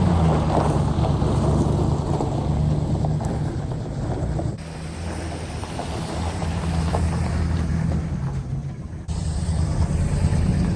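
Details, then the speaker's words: 1961 DeSoto revived after decades sitting, driving on about 3/4 gallon of fuel: steady deep rumble, easing briefly between gear changes, wind noise; runs and drives, sounds decent. "But it's running. It's driving. It sounds decent."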